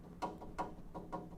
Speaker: That's the noise you want. So, this is actually in pretty good condition.